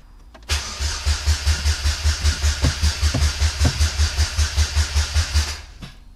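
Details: Supercharged Saturn Ion sedan with a rebuilt forged bottom end and new clutch, first start in five years on a new battery: steady rhythmic cranking about 2.5 turns per second for five seconds, never catching; cranks but will not fire.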